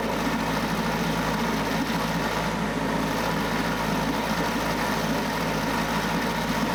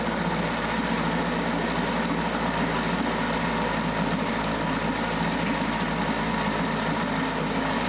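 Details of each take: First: Mercury 9.8 hp 110 outboard after new water pump impeller and lower unit driveshaft oil seals, pressure test held 10 psi; constant even drone with no surging, knocking or stumbling, running smoothly until fuel tank ran low. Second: 9.8 hp Mercury 110 two-stroke outboard after new water pump impeller and lower unit seals: runs steady and buzzy, then fades and dies; stalling, suspected out of fuel in the gas tank rather than a motor fault.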